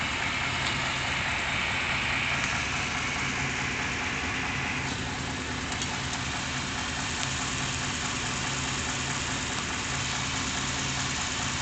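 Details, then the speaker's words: 1993 Chevy van 350 V8 in park/neutral just above idle, rebuilt transmission and new torque converter: dull uneven knock about twice a second with shaking throb; owner suspects balance issue or torque converter, unconfirmed. "Seems to be like a knocking noise in the engine. It's causing vibration."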